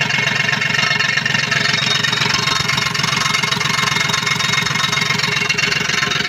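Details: Komatsu PC-20 excavator, 3D84 diesel, with low power, black smoke and hard starting. Clattery idle pulsing about four times a second with a slightly uneven beat; worn or dirty injector nozzles.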